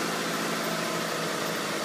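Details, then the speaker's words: 1994 Subaru Legacy EJ22T after replacing two hydraulic lifters on the exhaust side: steady, even idle with no tapping or ticking, engine sounds healthy after repair. "sounds pretty good a little bit far so good"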